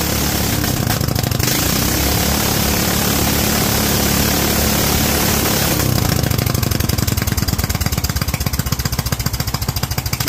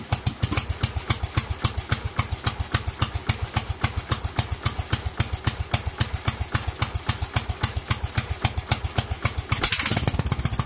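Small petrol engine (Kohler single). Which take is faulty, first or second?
second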